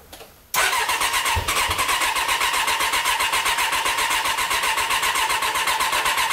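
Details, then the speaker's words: Vehicle that no longer starts properly from cold since its choke enrichment stayed slightly engaged; starter catches, then a steady chug of about four per second cranks six seconds without firing, as if no fuel arrives despite being wide open; choke and throttle change nothing. "Et depuis, c'est toujours la merde pour y arriver. Au début, je pensais qu'elle se noyait, mais non, c'est pas ça. Comme d'habitude, hein, elle va pas vouloir démarrer correctement."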